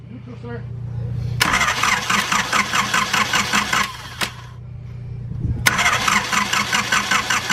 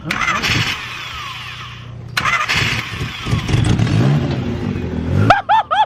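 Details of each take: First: Junkyard Honda CRX: two long cranking spells, starter chugging about two and a half beats per second, never catching; no fuel heard in the line at key-on, fuel relay suspected. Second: Junkyard-saved Honda CRX cranks in a couple of starter bursts after the main relay is swapped for a fuel issue, then catches into a rough, uneven idle; an exhaust leak is noted, no check engine light.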